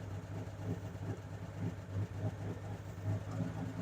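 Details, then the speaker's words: 1963 Ford F-100 step side, cold: low uneven loping idle with occasional stumbles, smoking, rough until warm; soon idles on its own. Choke cable needs adjusting. "You can hear that it's running a little bit rough, but it takes a bit to warm up."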